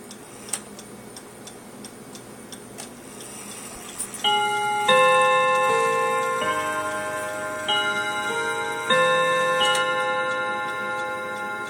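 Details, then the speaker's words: Refinished Seth Thomas pendulum clock: steady tick near 105 per minute, then ringing chime strikes; it runs but stops, won't keep time, speeds up or slows down; owner guesses the pendulum needs adjusting, cause unconfirmed. "mean it works it just uh it stops and it won't keep time or speeds up or slows down"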